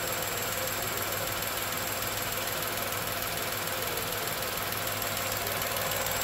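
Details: Tata Nexon 2020 BS6 XZA+S petrol engine idling, AC on/off comparison: even steady hum, faint low drone, no knocks or misses; normal idle.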